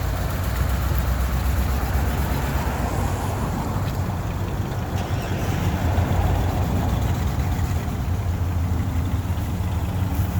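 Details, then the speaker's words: 1998 GMC Sierra brought back to running: deep, smooth idle rumble stays even with no knocks, stumbles or hunting; engine sounds healthy. "We had it out on the road and it seemed to run all right. It's coming around."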